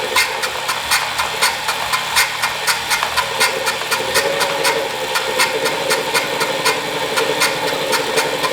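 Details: Wahoo Kickr Core bike trainer with around 2,500 miles, side view: sharp regular clicks just under once a second over a rough, gritty flywheel whir; sudden loud failing bearing.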